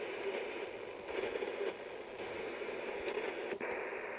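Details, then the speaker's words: HamGeek 6699 CB/ham transceiver receiving on the 10 m band: steady hiss with crackle and scratchy bursts, no clear signal. Noise floor higher than normal; lights suspected as the source, not confirmed. "Um, yeah, there's a bit of noise, but this is uh not what what what I have here normally."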